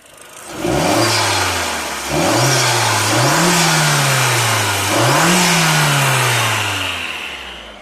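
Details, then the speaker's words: Mk4 Golf GTI AUM with diverter valve-to-wastegate actuator vacuum pipe intact, no leak: three clean throttle blips, revs climb and fall smoothly with no flutter on lift-off; normal turbo sound. "So when there's no leak, this is what it should sound like, if you can hear."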